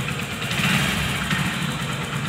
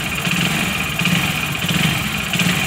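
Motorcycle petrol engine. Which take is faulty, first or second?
second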